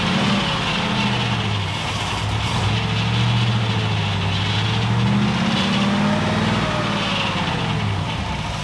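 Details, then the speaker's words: Willys Wagon after starter shimming: idle hunts and wavers in pitch with an uneven hiss underneath; suspected large vacuum leak, unconfirmed; starter still sounds bad, exhaust sounds good. "Oh, idle. Sounds like it's got a giant vacuum leak."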